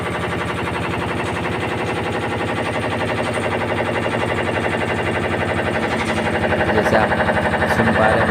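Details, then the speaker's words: LG top-load fully automatic washing machine, normal in wash but knocking in spin: steady heavy knocking about four per second that grows louder; drum has play from a loose gearbox nut. "जिसमें हमारी problem है जब spin करते हैं हम तो इसमें cut cut बहुत ज्यादा ए जाति है और वाश में अपनी नॉर्मल चलती है"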